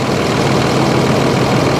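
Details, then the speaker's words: 2005 Dodge Ram 3500 dually Cummins diesel, manual, listed non-runner: deep diesel clatter at idle with a slightly uneven, lumpy beat; a dead cylinder suspected, no blow-by, check engine light on. "Seems like it's running a little off there. It may be down a cylinder."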